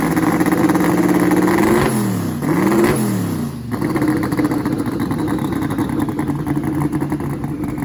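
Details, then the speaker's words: 1956 project car engine, first fire-up while antifreeze is added: rough, uneven V8 that stumbles and drops away on throttle instead of climbing; misfires and won't rev. "when he first fired it up I'm sure you could hear the uh misfire that it kind of has an RPM um where it like literally just wouldn't RPM"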